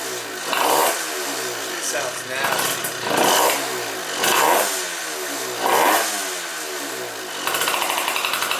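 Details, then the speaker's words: Piaggio Typhoon two-stroke scooter with an upgraded carburetor, first cold start with choke on: stumbling, very low, lumpy idle that surges up and sags about once a second. Idle speed set too low, needs raising. "Idle's probably going to be off. And it's just cold. So we'll go ahead and choke it. And let's see what happens, boys. Ryuk's ready for the first fire up too. Idle's low."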